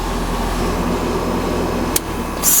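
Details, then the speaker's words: American Standard Heritage 13 SEER R22 dual-fuel heat pump, forced defrost via defrost board pin: steady drone, sharp click, then loud rushing hiss as 24 V energizes the reversing valve coil and shifts the slide to cooling mode; fan stops; normal clean shift into defrost. "there's our 24 fan stop we got 24 volts that sh that was a key indication of the uh the coal being energized and shifting that slide over to the cooling mode"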